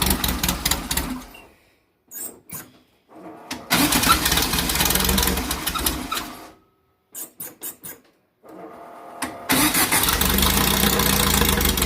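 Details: 2332cc VW bug (Dust Buggy) cold start, first firing after carbs cleaned, mixture screws not yet set: cranks and catches in stuttering bursts with dropouts, then uneven lumpy run; rough running, owner says she's missing.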